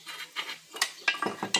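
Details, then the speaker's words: Renault Megane front suspension: sharp metallic clinks and taps as the ball joint turns loose in a worn control arm seat where it should be press-fitted, so the control arm must be replaced. "Porque o pivô não encaixa aí. Quer dizer, encaixa, fica com folga, né? Fica folgado, rodando aqui. Não pode acontecer."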